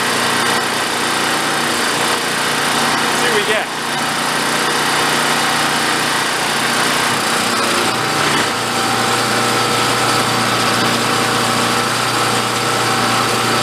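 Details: Vintage Coleman Powermate 1500 W generator, long sat unused, just revived and running without its air cleaner: steady high-pitched buzz, no misses, surges or knocks; sounds decent, running normally.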